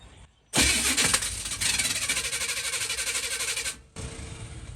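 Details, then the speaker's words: 1965 Chevrolet Nova during cranking: harsh, loud, uneven grinding clatter instead of a clean spin; starter and flex plate sound like they are missing teeth, suspected, not confirmed. "Well, as you just heard, the starter and the flex plate sound like they're missing teeth or something is going on there. I didn't want to continue cranking on it. It doesn't sound good."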